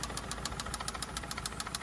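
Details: 2004 Toyota Camry at idle after stranding, previously run with no oil at auction: sharp regular ticking knock about eight per second; owner suspects spun rod bearing or top end, perhaps a rocker off.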